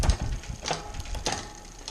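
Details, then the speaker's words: Bicycle rear derailleur just after indexing with barrel-adjuster quarter turns: crisp single clicks as the chain shifts up and down the cassette, with no grinding or hesitation. Clean, correctly indexed shifting. "so we'll take it all the way up the block and that down yep shifting quite nicely all the way up and right now very nice"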